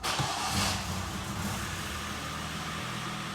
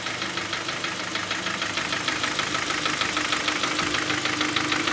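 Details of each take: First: 2011 Hyundai Sonata 2.0 G4KD, 175,000 km, first start after repairing cylinder scuffing and piston knock: oil pressure comes up and the engine settles into a smooth, even, quiet idle with no knocks, ticks or rattles. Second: Hyundai Sonata 2.0 G4KD petrol, 175,000 km, knocking after winter: sharp regular knock about three a second at idle, piston slap from scored cylinders.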